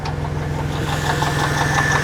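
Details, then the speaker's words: Mercedes SL at idle, microphone down by the water pump: rough, fast whirring rattle riding over the engine hum; pump bearing worn and leaking coolant, pump replaced. "Down here is the water pump. And she is kaput. I've got to get that replaced."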